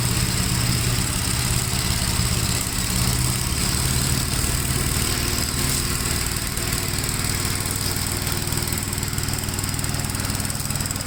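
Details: 1957 Gravely with a smaller 12-volt battery fitted, mowing soaked grass: the single-cylinder engine pulls steadily with even firing and a strong pace, no misses or knocks. It runs healthy and cuts with power to spare.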